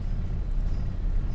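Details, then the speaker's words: Suzuki Katana after electric fan and thermostat install, hot at working temperature, fan just switched off: low steady rumble at 100-200 rpm idle, no knocks, misses or hunting; holds stable low idle without stalling. "dan ini suara 100 Kalau enggak 200 RPM tanpa as mobil tetap stasuner tetap hidup"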